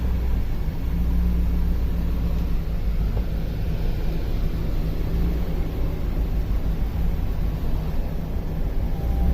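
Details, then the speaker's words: 2004 Ford F-250 5.4 L V8, P0306, cylinder 6 misfire, reported under load, new plug and coil fitted: deep idle with slightly uneven beat and light revs; misfire felt, counter may not register. "I can feel it misfiring, but I don't think the counter's going to count."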